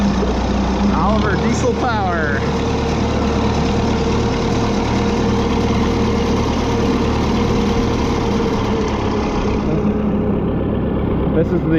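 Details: Oliver 66 diesel tractor, unused since 2023: a steady, even low chug at idle with no misses or knocks after restarting; sounds healthy.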